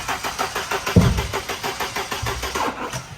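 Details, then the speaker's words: 1992 Mercedes 190E 2.3 Evo II replica cranking unevenly without catching though plug wires confirmed in correct order; not firing, distributor rotor suspected. "Yeah, it's not firing properly. This was confusing Jason and Ethan because they had all the wires in the right order, so what could possibly be causing the car to not start? Maybe we should pull this off and check the distributor rotor."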